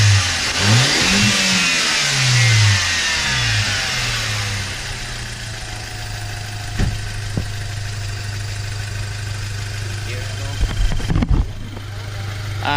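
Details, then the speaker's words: Warm Audi A4 2.0T FSI turbo four on ramps, before blow-off valve install: revs up and falls back cleanly with steady idle between, no blow-off on lift, as expected with the stock full diverter valve; normal. "so as you can see, you can't really hear because it is a full diverter valve."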